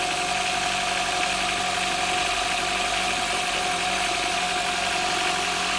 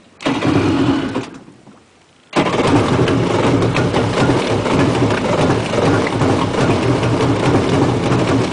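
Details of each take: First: Four-stroke jet ski started in the lift starts easily and settles into a steady, even, mid-pitched idle with no knocks or misses. It is quieter than the two-stroke ski. Normal idle. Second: Two-stroke jet ski cold start in the lift: catches, fades almost out, then fires again and runs rough and uneven; needs warming, and throttle would stall it; stays running once it passes 10,000 rpm.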